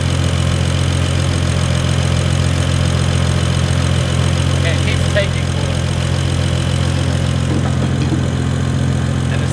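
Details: BMW E92 335i with worn N55 turbo six, running after intake and intercooler work; drivetrain malfunction warning, no coolant leaks, water pump works. Steady, even, low smooth pulse with no knocks, ticks or squeals: normal idle.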